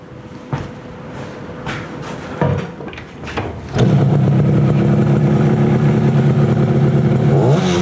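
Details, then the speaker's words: 1968 Yamaha YAS1 125 twin two-stroke after adjusting points and timing and syncing the carburetors, not fully warm: a few kicks, then a steady crisp beat with revs lifting cleanly; running healthy. "Oh, that sounds good. Picking it up now."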